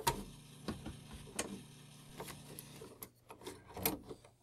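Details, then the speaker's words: Commodore 64 1541 disk drive running a copied Karateka disk; quiet, irregular ticking and clacks about two a second, drive head stuck at track 42 and failing to read. "and then you run your copy now you hear kind of a funny sound but the game doesn't work so you turn off your disc drive turn off your computer"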